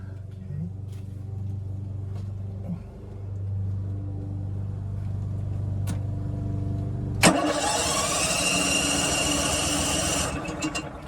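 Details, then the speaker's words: RV generator tested after a battery replacement, not started in a long time: a steady hum, then a rough churning crank at about four beats a second that never catches. It cranks but won't start. "that's the good news is that it's turning over it's not starting it's been a while since thing started"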